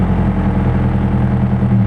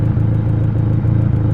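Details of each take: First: Nissan KA engine running rich with a strong fuel smell, owner suspects the fuel pressure regulator: engine starts fine, then runs rough at idle, struggles to keep idle, and fades within seconds until it dies; stalling at idle. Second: Ford KA idling after fuel pressure regulator replacement: low, steady idle rumble with no misses or ticking, though the idle moves up and down slightly, so the throttle cable is about to be adjusted to lower it; normal idle.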